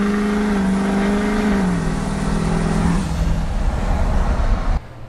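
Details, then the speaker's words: Rebuilt Duramax LBZ diesel, dual fueler, Ryan's Diesel turbo, 4-inch straight exhaust, tune not yet adjusted: deep roar with turbo whistle climbing then sagging pulling from low revs; dirty tune over-fueling at low rpm. "I do have a clip here to show you guys exactly what it sounds like and how dirty this tune is right now"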